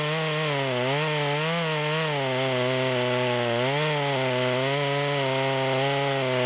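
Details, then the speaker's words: Stock rear-handle Stihl MS200 with 25-inch bar (84 drivers, 3/8) buried in large-diameter log, a third of the way down: high engine note sags and wavers, struggling to pull the chain; chainsaw bogging under load. "we're about a third of the way down at this point and you can see it's struggling to pull the chain the way it's set up"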